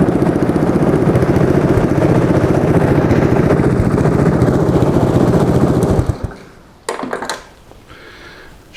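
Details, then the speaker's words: Track sled test run after fitting the exhaust, shifted through reverse, low gear and neutral: small single chugging steadily at about three to four pulses a second, even and unbroken until shutoff; healthy runner. "all right I put the exhaust on on we're just going to give it a quick uh test run try to start her up here and see what happens"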